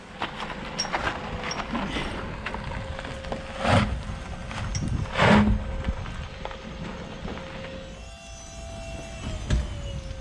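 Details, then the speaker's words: Porsche 928 electric conversion on new coil-overs, road test: two hard single thumps over road noise, a loud clunk in the rear; owners suspect the upper control arms or something not yet tightened. "Yep. There's something really loud and clunky in the back. Yeah. I don't know if it's the upper control arms or it's just something that we haven't tightened, but it's really bad clunk in the back."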